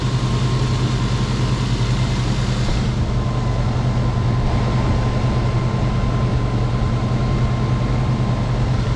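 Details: Old Toyota 4Runner after major engine repair for no compression on two cylinders, about 15 minutes running, temperature holding at center, now down off high idle, A/C being tried: steady, even idle with a low smooth hum, no knocks or misses.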